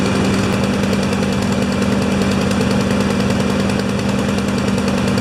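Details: Two Honda single-cylinder mowers after a tune-up (blades sharpened, oil changed, spark plugs cleaned, new air filters, wheels oiled), running together: a steady, even drone with no misses or knocks; both healthy.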